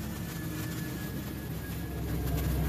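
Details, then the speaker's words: 2007 Ford F-350 Super Duty 5.4L with a no-crank/no-start in park. With a 100% duty-cycle park signal sent to the PCM, it cranks, starts and settles into a low, steady, even idle with no knocks or misses. "we'll go ahead and crank it over and it starts up"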